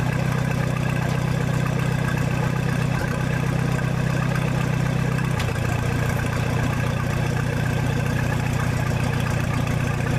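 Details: 1966 U302 Super idling under its own power after earlier rebuild issues were corrected: a loud open-exhaust idle, steady and even with a smooth low beat and no knocks or misses, sounding healthy.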